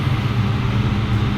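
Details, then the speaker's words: 2003-2004 Mustang Cobra V8 with a Gen 5 Whipple supercharger running after first start-up: deep, even rumble with a steady low beat and no knocks or rattles; runs smoothly, sounds great. "we've got these up and running she fired up it sounds great"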